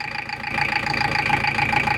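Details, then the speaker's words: Toyota 1KZ-TE diesel at idle: steady idle with a faint, regular knock tied to engine speed that disappears when the throttle is touched and returns at idle; cause not yet identified. "чуть-чуть трогаешь педаль газа сейчас Курбан подожди чуть-чуть даешь звук пропадает стук пропадает возвращаясь на холостые сразу же долги"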